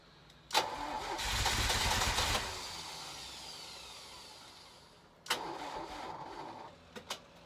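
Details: Crank-no-start on a 1983 Ferrari 308 under rebuild: two bursts of steady starter cranking, the engine turning over but never catching before the key is released. The battery had gone flat again overnight, and fuel was leaking heavily after refuelling.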